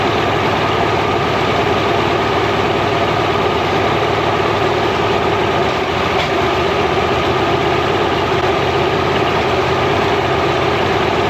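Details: Mercury inline-6 outboard, timing marks missing, warming up in water: loud steady idle with slightly uneven lumpy beat; misfire from intermittent weak spark on #3 cylinder; coil later swapped.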